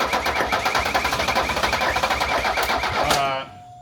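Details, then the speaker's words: 1978 Mercedes 300CD after swap to a 1984 OM617 turbo diesel inline-five with updated turbo and injection pump: fast, uneven cranking on a 40-plus-year-old starter, engine catches for a second then spins down and dies. "Hey, It's kind of hard to do. she's both. alive. She ran for a second."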